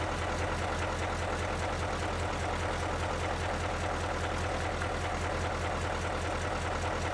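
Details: Boat diesel engine at steady low idle with lumpy beat around two and a half per second, running rough like a weak cylinder; cracking fuel lines showed cylinders 6 and 8 made little difference, cause not confirmed.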